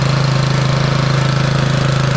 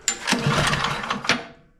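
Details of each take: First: Bolens (MTD-built) snowblower with Powermore 179cc single-cylinder engine, after freeing a stuck intake valve that caused popping and no start; on choke it fires a steady even beat, then settles to a lower smooth run with no popping, running normally. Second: Bolens snowblower small engine, customer already did carb and intake gaskets, plug replaced: pull-start cracks and pops irregularly, never catches, spark tester reads low (likely flooded). The cause is an intake valve stuck open.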